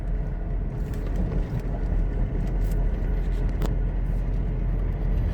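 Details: Four new aggressive centipede-tread tires on a Suzuki Caribian towed behind a 2-year-old Revo at about 70: steady deep droning roar with no rhythm, loud from behind; aggressive-tread tire roar.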